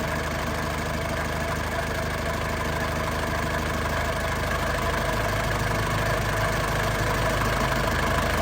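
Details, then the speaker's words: 2002 Panther LS diesel at warm idle: even, steady diesel clatter with a smooth low beat and no misses, shake or smoke. No oil seepage was seen; a healthy, stable engine. "Suaranya masih pulen banget ya. Ini kondisi sudah panas. Mesinnya tanpa goyang ya."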